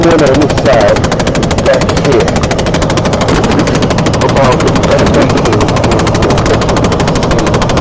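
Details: Clicking, ticking noise from the passenger-side blend door actuator behind the dash and glove box of a 2012 Chevy Impala: a fast, steady ratcheting click that never changes pace, actuator skipping and needing replacement.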